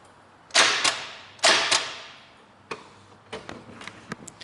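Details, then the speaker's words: Petrol 4WD without snorkel after ingesting about 20 litres of water at 4000 rpm: starter hits a solid stop, two heavy clunks then only faint clicks, no cranking; engine hydrolocked, won't turn over. "you see solid that's it it's not going to turn over nothing's happening so whatever is happened in there is gone bang"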